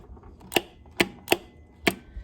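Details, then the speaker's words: 1995 gas Club Car DS golf cart with burned-up starter generator, battery good: four crisp clicks about half a second apart as the solenoid, powered in and through, pulls in cleanly each time. "i moved to my solenoid and tested my power to it i have power to it and through it you can hear it click"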